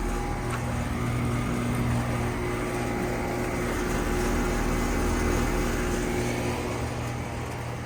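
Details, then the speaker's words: 2007 Heil Quiet Comfort 5-ton AC condenser at a conservatory, suction line cold and sweaty, liquid line cold: steady low hum with faint uneven pulsing over fan roar; compressor sounds rough, possibly needing replacement. "somehow we may have to put a new compressor in this doesn't sound good"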